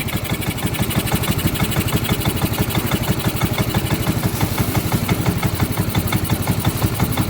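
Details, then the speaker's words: Yamaha Mio M3 scooter after stripped manifold bolt replaced: now idles but with a choppy, uneven beat and rough, harsh engine tone; reset needed, check engine light had not come on. "Tapi ini langsamnya tidak beraturan, tapi mesin juga kasar kedengarannya."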